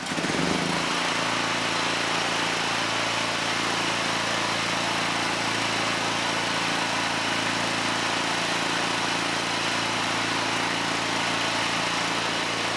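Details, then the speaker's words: Generac GP7500E generator after a stator/rotor swap, loaded with a light and a kilowatt meter: a brief start-up surge, then a flat, steady drone with a constant low hum. It outputs just over 123 volts and the AVR regulates well. "very nice we've got power just over 123 volts so we don't need to make any adjustments down here the AVR is actually running it pretty well"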